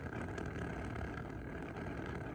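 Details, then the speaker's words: Steady, even rushing roar from a 10,000 BTU garage heater with a single panel, noisy and flickering when turned down to its first (low) setting; cause unclear. "if you take it down to the first setting it's pretty noisy I don't know if you can hear it on my phone"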